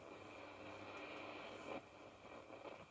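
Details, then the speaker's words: General Electric G817 radio, powered up after years unused, during cleaning: faint steady hiss with a thin high whistle and no programme audible, the static suddenly growing louder; owner suspects aging components. "i don't know if you can hear that the static has all of a sudden just gotten a lot louder"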